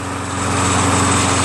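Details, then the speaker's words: Toro Recycler 22" Personal Pace 20068 mower, Briggs auto-choke engine with replacement carburetor, running about 2 minutes as oil burns off from muffler and smoke clears: steady even fast-idle buzz, no misses or knocks; normal running. "but the engine runs smooth though it's been running for about 2 minutes now as you can see the smoke has dissipated and it stopped smoking"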